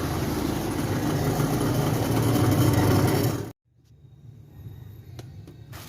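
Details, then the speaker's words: Sanyo Aqua Magic washing machine after repair: steady even motor hum and whir for a few seconds, then switched off and drops away quickly; spin motor turns freely, both wash and spin motors working normally. "oke sekarang kedua dinamo udah berfungsi dengan baik ya kanan-kawan baik itu dinamo pencuci maupun dinamo pengiring udah berfungsi dengan baik layaknya mesin cuci normal"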